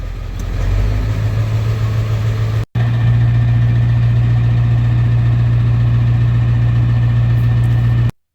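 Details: 1994.5 Ford F-350 7.3 Powerstroke after installing 160/00 injectors and a new intake, warming up at idle at about 35°F after the first snow: steady low diesel idle with even clatter, no misses or knocks; sounds healthy.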